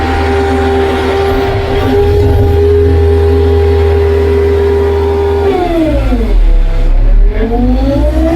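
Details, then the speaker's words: Arrow Hammer 1450H pile hammer on a test pad at 10 below zero, 4-way auto stroke engaged from idle: steady engine drone, then revs sag and climb back as the hammer cycles under load, recovering cleanly in a normal working cycle. "We're just gonna push this auto stroke here, and then our hammer will fall. You'll hear the engine rev up, and we're gonna be on."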